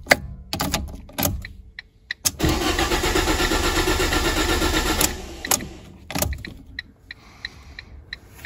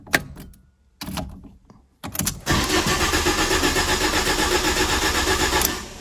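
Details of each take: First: Ford Ka (2010–2011) after a rear crash: starter cranks the engine at an even rhythm but it never catches, because the crash fuel cut-off system has shut off fuel. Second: 2010–2011 Ford Ka that would crank but not start after a rear crash, with fuel cut-off active: starter cranks briefly, then the engine catches and settles into a steady, even idle with no misses or knocks.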